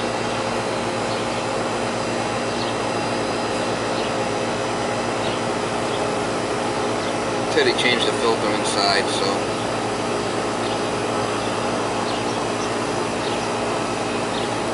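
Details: Goodman AC condenser (house not cooling) running after failed capacitor replacement, 50/5 fan capacitor fitted: steady even compressor and fan hum, constant low tone, no rattles or surging; running normally.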